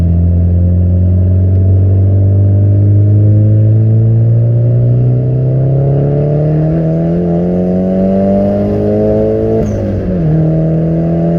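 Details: Nissan 200SX S14 road test with new AliExpress injectors, previously lean and jerking: engine pulls smoothly and steadily up through the revs to the cutoff without stumbling, then lifts off and settles; clean, healthy acceleration.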